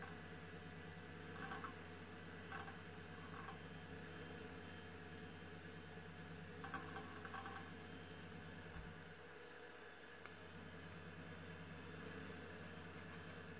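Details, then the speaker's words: Old Highscreen Allround retro PC from an eBay classifieds ad, starting up: soft, steady fan hum with faint drive clicks now and then, quiet and even; normal fan and drive noise. "und jetzt starten wir noch mal ohne dass ich quatsche ich liebe diese Geräusche"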